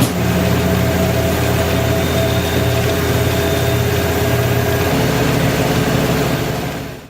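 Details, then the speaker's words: LG WM2801HWA direct-drive washer after replacing rotor position sensor: smooth steady motor hum with even drum rotation, no grinding or knocking, then winds down quietly; normal spin after repair. "I'm gonna go ahead and start it up and we'll watch it run and see that it runs without any issues"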